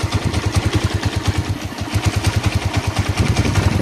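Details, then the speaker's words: Honda TMX CG125 motorcycle converted from contact points to CDI, idling: loud thumpy idle about nine beats a second wavering slightly; noise from ignition timing set too retarded, not valves, to be fixed by advancing timing plate. "Kung naririnig ninyo, medyo maingay yung makina niya. Pero hindi yan sa balbula nang gagaling kundi sa timing mismo."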